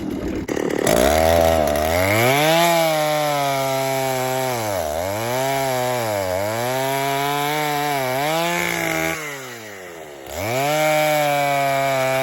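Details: Vintage 1960s Stihl 08S chainsaw, about 60 cc two-stroke, cutting firewood before fuel screw richened 1/8 turn; screams up and sags in cut, thin sharp revs at full throttle; owner thinks it needs more fuel; lean high-speed mixture.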